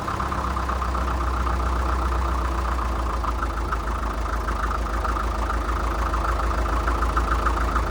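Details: 1947 International Harvester TD-9 gas-start diesel crawler, first run in years after magneto rebuild and timing reset after possibly being 180° out: slow, regular chuffing about 200 beats a minute, even with no stumbles; idling cleanly.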